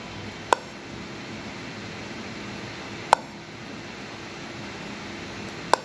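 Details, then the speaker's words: Dell Inspiron 3521 laptop motherboard LA-9104P on DC power, speaker connected: a short, sharp beep repeats about every 2.5 seconds at power-on, a beep error. "okay so now what the issue you can here it's a beep issue DC on it's A5 mamp see the sound please"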